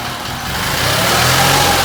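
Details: Case 446 "Big Wheel" lawn tractor twin, barn-stored several years, after removing carburetor air-filter screws that fell in and held valves open: catches and climbs to smooth, even run, no misfires; normal running.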